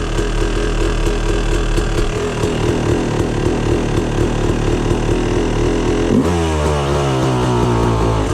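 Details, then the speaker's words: 2004 Yamaha YZ250 two-stroke, cold start on the first kick with the choke off: lumpy, wandering 'wow wow' burbling idle instead of a crisp ring-ding, then revs; running too rich. "You can hear wow wow wow wow wow wow wow wow. That's another noise or sound that it's too rich."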